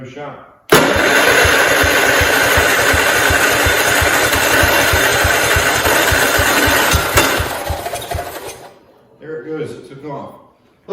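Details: 1969 John Deere 112 Patio tractor, fuel poured over the cylinder before trying again: it catches and runs at a rapid, fairly even thump for about eight seconds, then dies away. Normal running, though it still needs a starter solenoid and a carburetor cleaning.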